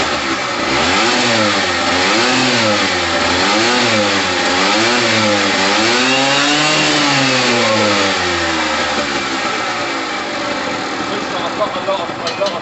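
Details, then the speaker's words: Gilera DNA 125 two-stroke scooter with heavy oil premix (petrol red, bike long unused) being blipped about once a second: revs climb and fall cleanly with a crisp, even note and no misfire. Normal revving. "all right guys that sounds amazing i've got a lot of two-stroke oil in there the petrol is literally red"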